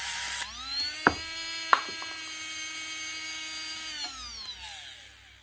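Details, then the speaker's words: Makita DBO480 cordless sander (2024) that stopped working after a drop, run on a bench power supply: steady whine with sharp clicks, then an uneven wind-down and weak starting. The brushes are bent off square on the commutator. "That'll run, but it doesn't have the power to get it initially running."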